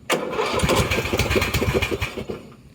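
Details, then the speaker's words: Husqvarna LTH 18538 lawn tractor engine after head removal and reassembly: catches and runs two seconds with uneven stumbling pulses, then fades out; still coughing. "She is still coughing, but This guy over here suspiciously has jack all there."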